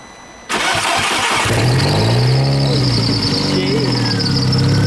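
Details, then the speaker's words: Big-turbo VW GTI after a rebuild, on jack stands, restarted after fitting a spare reflashed ECU to replace the fried one: it cranks, catches and settles to an even idle. Smoky, vacuum decent, air-fuel ratio rich, oil pressure present; a normal start. "vacuum pretty decent air fuel ratio is pretty rich but we have oil pressure"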